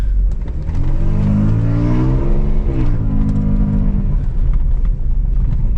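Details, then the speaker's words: Audi A6 2.8 petrol automatic, driving after the repair that got it running: engine note rises and falls smoothly through the gears with no misfire or shake under load; the auto shifts normally, though it stumbled earlier at low idle revs. "Причому, коли їдеш зараз, вона не троїть. Може, треба, щоб вона проперділась трохи. Ось ми їдемо. автоматик нормально перемикає."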